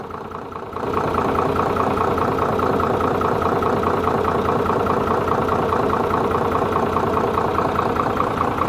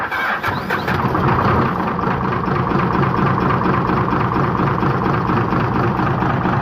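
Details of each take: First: Hino J08C diesel engine started for checking: catches within a second and settles into a steady, even idle with a regular beat and no knocking: normal idle. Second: Hino J08C diesel truck engine with reported power loss and oil coming from the exhaust (cylinder five suspected) cranks and catches, then a heavy, uneven knock pounds under idle about three to four times a second; piston damage suspected.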